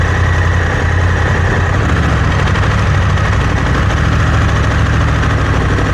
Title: Close up of Africa Twin CRF 1100l noise when accelerating